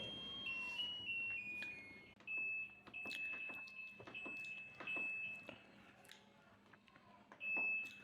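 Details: Washing machine sounding its E2 error code: high thin beeps in uneven groups in a quiet room, the fault alert.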